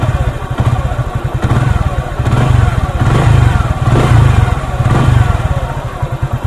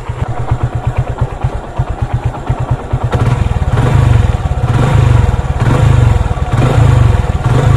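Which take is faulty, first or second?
second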